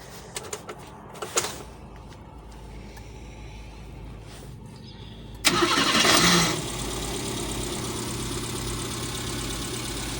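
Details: Car idling with a lumpy, uneven misfire after starting; scanner showed P0300 random/multiple cylinder misfire; a connector/grip was found loose and refitted before the code was cleared.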